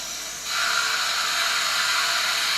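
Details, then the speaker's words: Worcester Bosch 38 CDi boiler system, heating off, being drained to flush: steady hiss of rushing water flowing freely out the open drain valve; water comes out not too rusty, so little further flushing needed. "You can hear the water running and it's coming out here. It's actually not too bad, the water."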